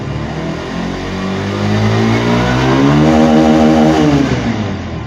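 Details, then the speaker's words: Bajaj Pulsar 150 BS6 with an idle-off and low-pickup complaint, before diagnosis: revs climb slowly on throttle, sag and drop back instead of picking up; engine bogs and tends to die after about 2000 rpm. "பார்த்தீங்கன்னா அவ்வளோதான். இது மாதிரி வண்டி வந்து அமுங்குது."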